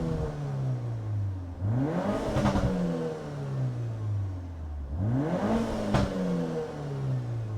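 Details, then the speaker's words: Peugeot 308 GTi THP turbo engine after a PCV diaphragm fix, stopped during the test drive. Revs climb smoothly, fall away without hunting and settle to a steady, even idle twice; normal rev and return to idle. "Sounds so healthy. And then it just catches itself, idles perfectly again."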